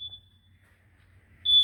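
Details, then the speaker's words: Smoke detector of an early alert system deliberately triggered by renters in a smoky room, a loud, piercing high beep cuts in after a quiet gap; working as it should. "It's working as it should. You can hear the beeping has been activated."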